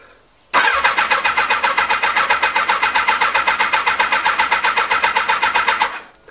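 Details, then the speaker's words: Honda CBR 1000F SC24 after standing a few weeks unused: steady starter churning at about four compression pulses a second for over five seconds without catching, a long hard crank; once started it restarts instantly that day. Cause not confirmed. "Generalnie rzecz biorąc teraz parę tygodni było takie długie kręcenie w ciągu dnia jak już odpali No to już pali praktycznie od strzała"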